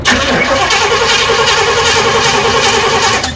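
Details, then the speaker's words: 1994 Chevy 3500 HD tow truck, big block, long parked: starter spins the engine steadily at about three and a half turns a second but it never catches; no fuel coming through, pump suspected dead. "Hear anything coming out of no, that? No, nothing."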